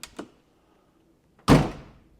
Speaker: You notice it doesn't have that thunk, it has more of a clank. And I'll do it even softer. All right, so that tells me, yeah, that inside of that thing is pretty well eaten up.